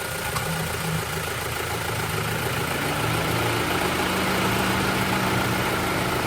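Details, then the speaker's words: 2024 Toyota Tacoma idling, heard from outside with the owner out of the truck: steady idle hum with faint clicking coming and going in cycles; source unknown, owner guesses a cooling system part. Cyclic clicking at idle. "And that cycling, that constant clicking off and on of whatever it is. I don't know what it is."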